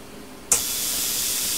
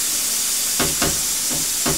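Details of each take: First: Plasma cutter torch that won't start, tested by shorting the low-voltage switch plug prongs with a screwdriver: sudden steady hiss that holds without cutting out, so the machine works and the fault is the torch switch or its lead. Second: Cheap Chinese plasma cutter torch after reseating the loose switch plug: harsh air hiss cuts in and out in short stuttering bursts, then dies; arc won't hold. Owner suspects the torch trigger switch; intermittent arc cut-out.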